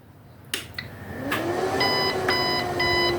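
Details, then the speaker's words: 3000W UPS-inverter whose battery drains fast, powered from a 32-volt supply: repeated beeps over a low hum and it fails to start; it may need 36 volts (three batteries in series). "Yes, the AC power is out . I can't turn it on. Power suly 32 volts. Can't turn it on."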